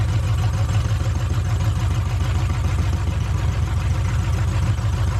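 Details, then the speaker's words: Truck V8 at idle with an uneven, dull knock of three to four beats a second, a faint thud and some squeaking; the owner suspects the rotating assembly, overly tight bearings or lifters that are too tight, unconfirmed. "I don't know what that squeaking is and there's like a faint thud sound that sounds like it's an uh rotating assembly gets me on the motor sound"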